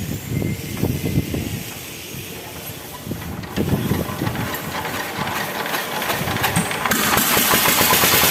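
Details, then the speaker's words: KOYO 25HP single-cylinder diesel ("dompeng"/Dongfeng) after cylinder head rebuild: valve seats fitted, lapped, head bolts torqued, valves set 0.35 intake / 0.45 exhaust. Hand-cranked, it catches and settles into a steady even chuffing, about 3–4 firings a second, no knocking. "Oke teman-teman, selanjutnya akan kita hidupkan mesin diesel ini atau mesin dompeng ini."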